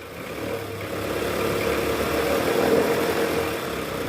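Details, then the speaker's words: Toyota Alphard ANH10 Gen 1, 2.4L 2AZ-FE, in R or D with AC on, revved to about 1100 rpm: groan with thin squeal from right side of engine; weak fan belt tensioner spring vibrating, tensioner assembly replaced. "Ini bunyi ngorok dan berdicit di bagian mesin area kanan sini nih. Ini bunyinya dari tensioner guys."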